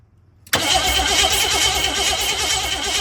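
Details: 1985 Jeep CJ7 with AMC 304, electric fuel pump fitted by previous owner: starter cranks steadily about three turns a second with no firing; crank no start, spark confirmed at number one plug, timing to be rechecked.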